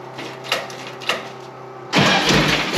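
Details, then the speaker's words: 1959 VW Beetle convertible started after a few years of sitting: two slow cranking pulls, then the engine catches into a loud, ragged, uneven run, still burning old fuel left in the line and carbs; needs more tuning. "Will take a little bit to run through all the old gas first because there's still fuel in the line and the carbs will be full of that old crap."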